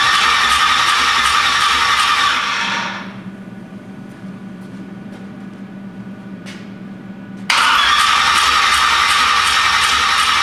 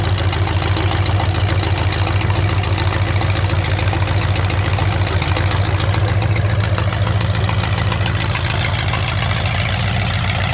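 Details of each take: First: 427 big-block Chevy on a new engine run stand, open headers, first crank without ignition: even, quick starter churn near four beats a second, engine turning over without firing; starter sounds slightly laboured, cause unclear. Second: 427 big-block Chevy V8 on an engine run stand, first fire after sitting a long time; distributor timing just adjusted, possibly the wrong way. Loud crackly open-pipe chop with steady even rhythm, no knocks or stumbles; normal idle and revving.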